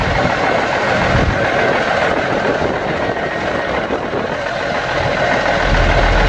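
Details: Yard-find Seddon Atkinson 311 classic truck, Cummins diesel, first fire-up before full rebuild: steady, even diesel clatter at settled idle, no knocks or misses; sounds sweet and holds all its fluid, a normal healthy idle.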